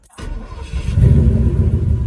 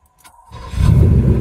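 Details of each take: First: 1984 Porsche 928 cranking: a heavy, rough growl and grind for about three seconds, repeating on the next try. The starter misbehaving is suspected, not confirmed. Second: 1984 Porsche 928 with a suspected intermittent starter problem, unlikely to involve the torque tube: short even crank that catches at once and settles into a smooth low idle with no growl or grinding. The fault did not show this time.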